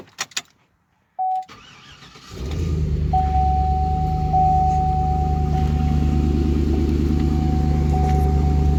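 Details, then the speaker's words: 2005 GMC Envoy Denali 5.3 V8 first start after replacing the under-hood fuse box and reconnecting the battery: chime, brief crank, quick catch into a steady even idle with a faint warning tone; normal start and idle, sounds healthy. "And there it is, ready to roll. Sounds good, doesn't it?"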